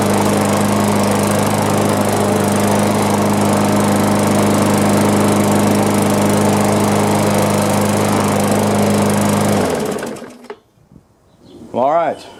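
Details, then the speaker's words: Mower with 500E-type engine and straightened bent crankshaft, muffler heat shield tightened: steady high, even rev with a slight persistent shake, then shuts down; vibration much less than before but revving too high, governor adjustment planned. "still felt a little vibration, but not near as bad as it was. I might mow with it a little bit and see if it's tolerable. And it seemed like it was revving up pretty high,"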